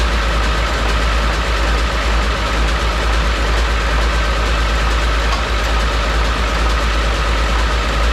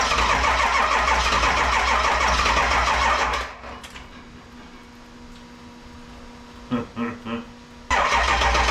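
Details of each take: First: 7.3 Powerstroke diesel swapped into a 1951 Ford shoebox with standalone wiring, smoky, after struggling cranking: steady, loud diesel clatter at a fast even idle, no stumble or miss; running normally before wires are cut. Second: 7.3 Powerstroke diesel swapped into a 1951 Ford shoebox with standalone wiring, cold start in Minnesota, smoking: steady starter cranking about four beats a second cuts out without firing, then restarts; charger trips out, supply too weak to crank fast enough.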